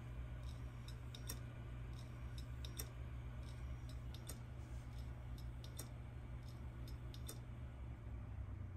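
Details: Seagate hard drive powered through a ZILKEE Ultra Recovery Converter to a Mac, mic held close; the Mac never detects the drive: a low steady motor hum with sharp irregular ticks about every second during spin-up. Clicking drive, cause not confirmed.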